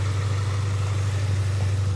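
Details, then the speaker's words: 1995 Honda Accord EX, manual, after the oxygen sensor connectors were replaced: smooth steady low idle with an even beat and no hunting or surging; the former idle drop and stalling are cured. "I was messing with my car see I went on it when I would do this like that idle would just want to die right there I'm just like start collapsing but she's back to normal she's good"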